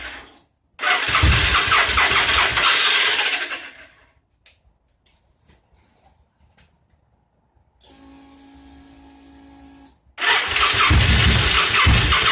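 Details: Motorcycle assembled from spare, broken and wrong parts, throttle position sensor just plugged back in after being left unplugged: catches in loud ragged bursts, dies to near silence, fires and stumbles again; won't idle.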